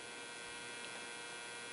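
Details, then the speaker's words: 1947 Chevrolet car radio on a bench supply set to 6.1 volts with a long-wire antenna: faint steady buzzing hum in the background as it warms up, the vibrator power supply working normally. "Now if you hear that little hum in the background,"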